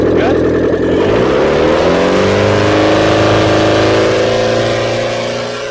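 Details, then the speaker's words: Carburetted turbo B6D engine, first run after finishing the build, exhaust manifold hot: a steady engine note that swells and settles, firing evenly with no knock or miss, turbo heard still spinning; normal running. "Oh, she's still spinning. I can hear it. Still going."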